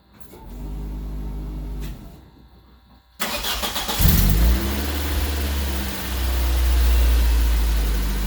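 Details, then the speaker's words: Golden Quack car with a newly installed replacement engine (the old one had unresolved overheating), no transmission fluid, shift cable needing replacement: a brief crank, a pause, then it catches cleanly into a smooth, even run with light revving as it moves, a normal start. "It's together, it'll work. Yeah, she starts right up."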